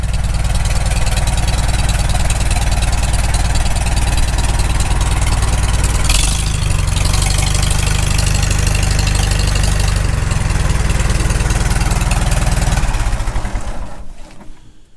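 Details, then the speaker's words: Farmall Super M tractor after full engine rebuild, after carburetor adjustment: deep steady four-cylinder idle thump, even beat, no knocks or misses, then shutdown; normal idle. "so really happy the way this thing run i think uh we'll just close her off for now"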